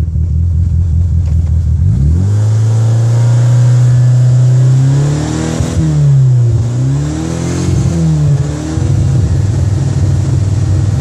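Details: 2G DSM engine catches and settles, then idle sags and surges every few seconds with uneven stumbles: intermittent phantom misfire at idle.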